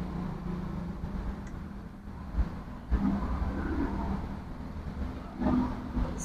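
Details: 2016 Honda Vezel hybrid after clearing P0300/P0301 random and cylinder 1 misfire codes, carbon cleaned, test-driven 15-20 km: low, even engine hum with steady tone, no stumble or skipped beats; running smoothly.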